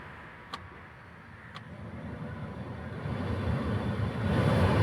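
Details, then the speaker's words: Maruti Suzuki Alto K10 AC blower fan, after removing a loose 12 mm nut that had lodged in the fan causing imbalance and vibration at top speed: two switch clicks, then even airy rush building smoothly through speeds 1-4, no rattle; blower runs cleanly. "ഇപ്പോൾ നമ്മൾ ഇപ്പോൾ on ചെയ്യുന്നു first second അതുപോലെ തന്നെ third fourth ഇപ്പോൾ യാതൊരുവിധ സൗണ്ടും കാര്യങ്ങളോ ഒന്നും വ്ലോഗറിന് ഇല്ല"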